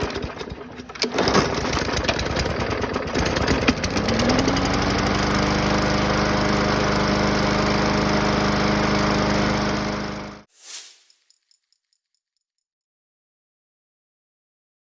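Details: 2015 Yard Machine mower with Briggs & Stratton 140cc engine after carb cleaning and sharpening: after a few rough catches it settles into a steady even putter, then shuts off; running normally.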